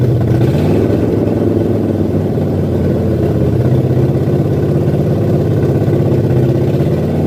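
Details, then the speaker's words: 1978 Ford F100 V8, first start with a new Comp Cams cam on zinc-additive oil, held at high RPM for cam break-in: steady even rumble at fast idle, no knocks or misses, no oil leaks; healthy fresh engine. "got a break in that cam, so it needs to like maintain a high RPM for a little bit."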